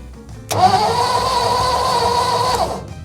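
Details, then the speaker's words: 1955 Ford F-250 restarted after sitting outside over 40 years, spark tester on plug: about two seconds of steady starter whirring, never fires; crank no start, no ignition spark. "no spark still why not"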